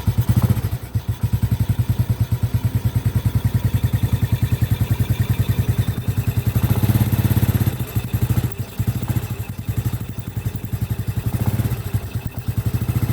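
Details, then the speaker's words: Honda Supra Grand motorcycle at low rpm; complaint is that starting has become heavy: single-cylinder thump with a dry tick on each beat, about three per second, from the cylinder head. Valvetrain ticking from oil starvation; oil flow to the head being checked. "Nah itu suara terdengar kecil ya C ada di bagian silinder kopnya Coba kita pastikan pertama-tama kita pastikan oli itu naik apa tidak ya"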